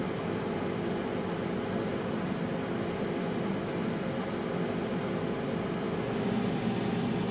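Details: Home 100TB 10Gbit server fan noise sample: steady, even whoosh of air with faint constant hum, no rattles or surging; fans running normally.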